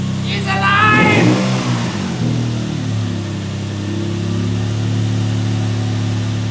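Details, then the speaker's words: Lexus IS200 first start after same-day engine swap, on the lift, before warm-up; engine climbs through a rev then settles to steady even idle, no knock, runs pretty good. "the Lexus runs again and it runs actually pretty good"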